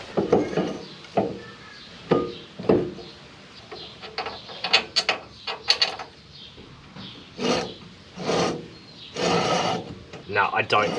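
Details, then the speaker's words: Nissan Cefiro after a brake caliper swap, calipers found not to be the same. Turning the rusty rotor by hand gives uneven scraping, rubbing bursts; caliper dragging suspected, not confirmed. "I couldn't get the other one on, and then I tried to spin it and it sounds like it's scraping."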